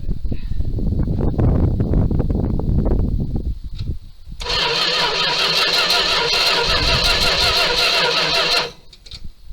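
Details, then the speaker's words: 1978 Dodge D200 crew cab with 318 V8, abandoned 17 years, on a known-good battery: the starter spins it at a steady, even rhythm in two long bursts, but it never fires; no spark at a test plug, distributor suspected. "If you noticed, I put the spark plug up here to see if it's got any fire on it. Doesn't seem to. So, try that again. Okay, no spark."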